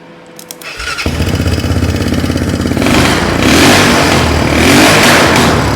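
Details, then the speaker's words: Old Mule UTV with HMF exhaust: fires, settles to rough, choppy idle, then revs with harsh, very loud exhaust bark; owner suspects the HMF muffler has no packing left. Loud exhaust. "I ain't going to lie, my neighbor's grandma probably could hear that from her grave. It is loud. I guess that that HMF has zero packing left in it."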